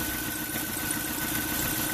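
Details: 2005 Dodge Neon 2.0L 16-valve inline-four idling cold, misfiring unevenly with an irregular stumble under a steady squeal; one cylinder is suspected low on compression, and a coolant combustion-gas test changes colour, confirming a blown head gasket.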